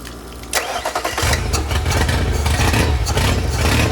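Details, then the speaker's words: Yamaha 50HP (T50) outboard, one cylinder low on compression: it cranks and catches, then runs with an uneven, lumpy, skipping beat, sounding like it's running on three cylinders; a dead cylinder. "now and it sounded like it it sound like it was running on three and you red it a couple times and it sounded like it popped like it popped into Maybe forward"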